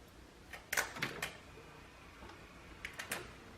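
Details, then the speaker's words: Hummer H1 AVA 97.5 replacement HVAC main unit at power-up: a few quiet clicks and a faint thin motor whir as actuators begin working. Normal actuator operation. "You can probably hear some actuators already working."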